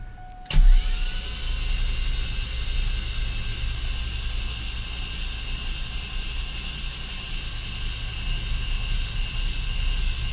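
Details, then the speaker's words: 2000 Camaro 3.8L V6 after engine reinstall, cranked with spark plugs removed to spin faster and build oil pressure (still none); fast, smooth even whir with no compression chuff. "so this time it's going to sound funny cuz no compression but it should spin a lot"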